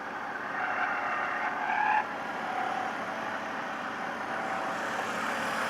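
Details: BMW engine idling quietly with faint high chirping squeaks coming and going for a second or two; source of the squeak unknown.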